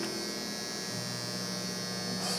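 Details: Optoma UHD60 4K DLP projector after the flaked-off color wheel index mark was re-taped, following a lamp replacement that did not fix the lamp-light flashing. It works now, but a loud, steady high buzz with a whirring edge suggests the color wheel is shot.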